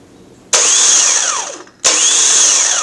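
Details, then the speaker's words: Removed starter from a 1989 Chevy K1500 Silverado, bench-tested with jumper wire: two sharp solenoid engagement clunks, each followed by high whirring spin winding down; healthy operation. Truck's tapping was blamed on the bendix hitting the flywheel. "okay hopefully you guys are seeing that that's exactly how a starter operates"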